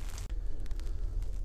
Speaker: то есть лифт совсем небольшой но идет нормальная тихо немножко слышно что его там потряхивает в отличие от пассажирского здесь нет скрежета